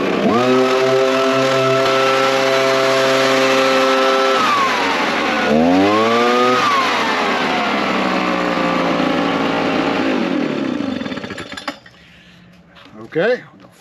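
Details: Small two-stroke leaf blower after repair (it may have been flooded or its spark plug gummed up) gives a steady high buzz and two quick clean revs that rise and fall smoothly, then winds down and stops; it runs fine.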